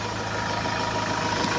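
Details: Hyundai Starex diesel that reportedly would not start for days; the starter and charging system were checked and found good, with the fuel filter named as the usual culprit. Ticks over at a steady, even clatter with no surging or stumbling: healthy idle.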